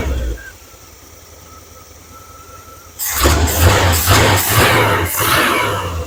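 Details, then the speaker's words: 1978 Chevrolet K10 with 305 cu in small-block V8, after valve train work and a makeshift vacuum line: cranks and catches into a lumpy uneven idle, valve tick gone but still rough; suspected vacuum leak, miss or over-advanced timing. "Well, as you can hear, she ain't ticking over here now. She's still running a little rough. She's pretty far advanced, isn't she?"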